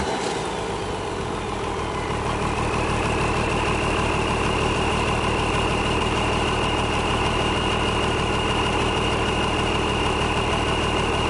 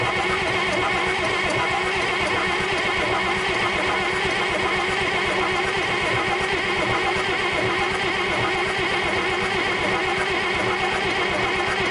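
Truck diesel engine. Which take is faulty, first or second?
second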